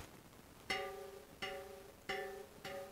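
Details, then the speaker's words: 40-spoke 3-cross tandem wheel with new rim, tension around 22: plucked crossing spokes on the right side from the valve hole ring at nearly matching pitch; tension even. "sound about the same. I'm plucking crossing spokes."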